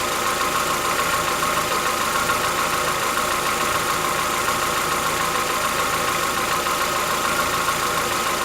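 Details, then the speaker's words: Chevrolet Onix 1.4 (2014-15), cold start on gasoline; fast regular ticking three to four per second over steady idle, lasting about 10 minutes, worsening yearly since new. Owner says it is inside the engine, not injectors, suspects lifter knock; dealers call it characteristic. "Não é barulho dos bicos trabalhando, é dentro do motor. Conforme o ano vai passando, o barulho vai aumentando."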